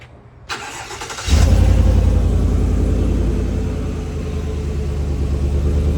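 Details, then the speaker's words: Chevrolet Silverado Trail Boss Z71 just after a no-weld bolt-on Flowmaster Super 44 muffler install, U-clamps not yet fitted: brief crank, then a deep burble settling to an even idle, solid and leak-free, subtle. "Yeah. Sounds good. Sounds real good. Pretty subtle."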